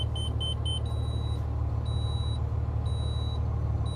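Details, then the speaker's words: 2025 Renegade Verona 40VBH Super C RV, Freightliner M2 106 Plus chassis, 8.9L L9 Cummins diesel, just started in the cab: repeating beep over deep diesel idle, the EQ leveling system warning, jacks possibly shifted after sitting. "right now that beeping is your leveling system your EQ leveling"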